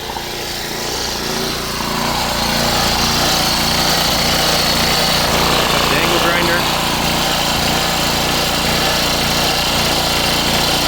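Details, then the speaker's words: Coleman Powermate PM1500 generator after repair, started first pull: steady, even engine drone holds speed while powering a high-pitched grinder, handling the load without bogging. "I'm going to test out the electric portion now so let's fire her up first pull I'm guessing runs"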